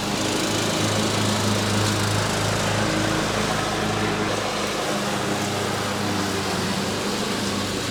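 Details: Riding mower after fitting a new deck belt: steady high-pitched small-engine drone at constant speed, no misses or knocking; mower running normally.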